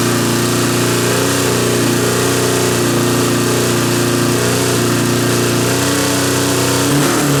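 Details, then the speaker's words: Suzuki GS650 motorcycle, first start after a top-end rebuild with coils and carbs refitted, in a basement: fired right up into an even, steady idle with a smooth hum and no misses, ticks or clatter; normal idle. "Wow, the idle's good. Yeah. Hey, she's alive."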